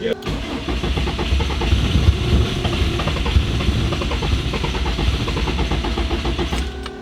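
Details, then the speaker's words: 800HP Subaru WRX STI boxer engine after breakdown, cylinder blown out, full of fuel, cranked with a little throttle; starter churns about three turns a second with weak catches, never runs; crank no start. "let's see what it does oh that's the closest it's gotten yet that means it's full of fuel yeah do it again just keep"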